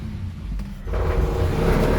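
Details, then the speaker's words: Triumph 2000 barn-find that runs lumpy with a suspect carburetor: on choke it gives a low steady idle, but blipping the throttle barely lifts the revs; engine not reacting to throttle. "So you can hear on a choke, she runs lovely. You see? I give it a bit of a throttle. So it's only running on it's not reacting"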